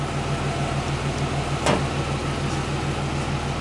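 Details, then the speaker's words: Warm car idling in a shop after mass airflow sensor work. A scan shows no codes and about three grams per second at low idle, called good. Quiet, smooth idle with a soft steady pulse, no ticks or hunting. "there's three grams per second low idle which is good"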